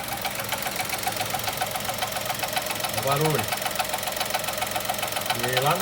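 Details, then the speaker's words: 2020 Chevrolet Onix 3-cylinder at about 1,000 km, parked just after starting and heard from inside the cabin: a fast metallic 'tin can' ticking only while the brake pedal is pressed. A mechanic blamed the brake vacuum pump; the dealer calls it normal. "a gente já observa o barulho barulho de lata e o barulho é e aí é só quando a pressão do freio parou barulho parou"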